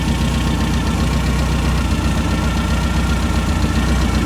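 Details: Brand-new 2332cc air-cooled VW flat-four Manx buggy engine, dual Weber carbs: steady deep idle with even chuffing beat, no knocks, misses or rattles; healthy normal idle.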